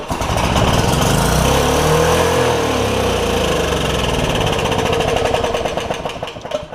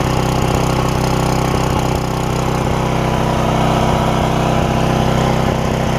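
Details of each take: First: Porter Cable generator, Briggs OHV engine, first start after replacing a bent intake pushrod (owner suspects the valve was too loose); flares up and stays screaming at high, uneven revs, throttle stuck wide open — overspeed from a bent governor spring tab. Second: Porter Cable generator, Briggs OHV, after bent pushrod replacement and governor repair (throttle had stuck wide open); run almost 20 minutes, steady even drone, no surging or hunting, only the slightest miss — normal governed run.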